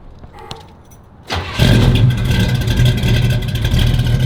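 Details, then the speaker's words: 1969 Camaro V8 with headers and aftermarket gauges, cold start: brief cranking, catches at once, settles into a deep, steady rumble; starts right up, sounds nice and healthy. "Sounds nice and healthy. It starts right up."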